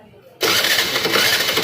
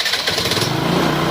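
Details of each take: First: TVS Jupiter scooter that won't start, mechanic testing ignition coils, no current found: three short bursts of starter whirring, engine never catches; cranks with no spark, coil fault suspected. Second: TVS Jupiter scooter with a no-start problem, running after the coils were checked and the fault repaired: steady even single-cylinder pulse with no misses or knocks; normal running.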